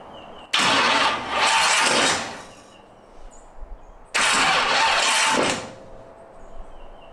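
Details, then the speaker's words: 1931 Ford Model A roadster hot rod, first crank after sitting. Two harsh, loud grinding bursts of about 1.5 seconds each. The starter pinion is stuck out, hanging on the ring gear; it may need shimming or the starter may be flexing. "it doesn't sound great let's see if I can look underneath see what it's doing I don't know if you can tell but that little opinion gear is actually stuck out right now which that too would cause some issues"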